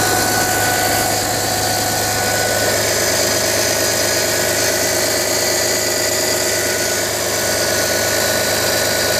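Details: Audi A4 B6 2.5 TDI 120 kW diesel cold start in cold weather: busy rattly clatter with a faint steady tone at idle; strange noise, cause unknown.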